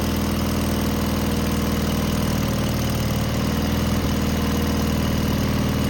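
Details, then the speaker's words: Cub Cadet tractor Kohler KT17 twin after muffler replacement: low loping idle with uneven pulses and a brief stumble, much quieter than before; owner dislikes how it runs, carb never checked. "I'm not sure if this motor's good or not. Uh I didn't quite like the way it ran, but it is much quieter."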